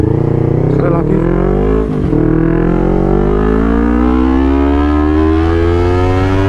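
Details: Honda CBR250RR with full pump, clean condition and MPTech quickshifter, after fixing a high-RPM limiting/stutter problem: single clean full-throttle pull, pitch climbing smoothly, one crisp quick cut at a quickshift, then even revving; engine pulls healthy.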